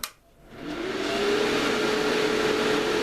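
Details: Series-mounted cooling fans for a ham radio amplifier, airflow measuring gadget removed: fans spin up in first second to loud steady rush with faint constant tone; still too noisy, mounting change planned.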